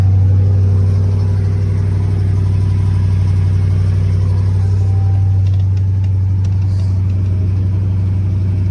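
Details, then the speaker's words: Salvage-auction car started on a jump pack, no check engine light. Steady, even engine note with a smooth low hum and no knocks, stumbles or ticks; it runs healthy and sounds decent. "Yeah, it don't seem to be running bad at all. All right, let's see what it sounds like. It sounds decent."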